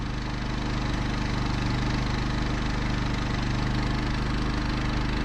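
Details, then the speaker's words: Champion 3500 W portable generator in an enclosure with two fans on a 1990 Fleetwood Bounder motorhome: low steady hum, even beat, no knocks or surges, measured about 52 decibels, running quietly. "52 decibels that's is quiet that there is as quiet as the honda 2000 that's the famous little generator"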